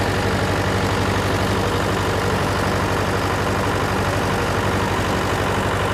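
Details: John Deere 401C diesel with cracked block, idling: uneven lopsided beat about three lumps a second, one cylinder missing each cycle; temperature check shows number three cold while others hot, confirming an injector problem.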